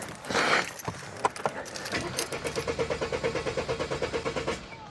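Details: Mercedes cranks at about nine even pulses a second but never catches; no power to fuel pump from blown/loose fuel pump fuses, fixed by replacing fuses and clearing codes.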